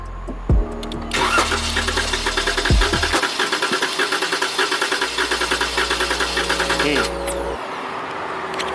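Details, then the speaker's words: 2014 Chrysler 300S 3.6L Pentastar V6 with months of ticking, now a no-start with flashing check engine light, cranked with two relays pulled for a compression test: uneven six-second crank, cylinder one at zero compression; engine needs replacing. "so as you can see uh cylinder one has zero compression so that's why this thing's not starting at all"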